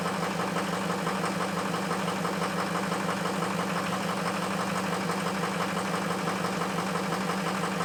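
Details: Ford F350 cold start after a high-30s °F night with two bad injectors: cold idle with steady clattering knock near three per second and uneven pulses; rough cold running.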